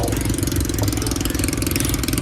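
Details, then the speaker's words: Honda Beat scooter at idle with the intake hose off the air cleaner: loud hissing rush over the engine beat, like a leaking exhaust though the muffler is fine; fixed by refitting the hose to the air cleaner. "itong hose na to ang maingay, parang muffler, parang tambutso na sumisingaw."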